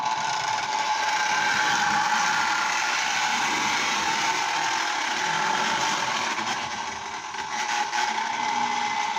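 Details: Lionel Tie Jector model train car after reassembly with its motor brushes refitted and the body back on: an even, high-pitched small-motor whir with a light mechanical rattle, steady and healthy; normal running.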